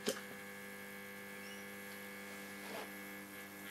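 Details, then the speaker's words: 1947 STC Bantam C141 valve mantel radio under restoration, B+ brought up to about 150 V with rectifier working: steady low mains hum with a buzzy edge and no stations; set is alive but receives nothing, cause unconfirmed, caps to be swapped next. "getting ah no stations yet but not a problem at least it's alive so that's good"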